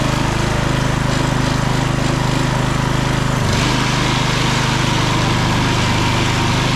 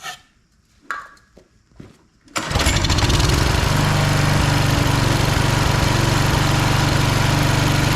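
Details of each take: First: Husqvarna HU 625HWT four-stroke string trimmer after repair and cleaning, with a new front bolt and nut, final test run: buzzes at a steady fast beat, even and smooth with no misses or knocks; normal running. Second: Husqvarna HU 625HWT four-stroke string trimmer that a coworker couldn't get running, turning over extremely hard at times: a few pull-cord rattles, then it catches and settles into a steady fast chatter with no misfire after a shot of starting fluid; hard starting.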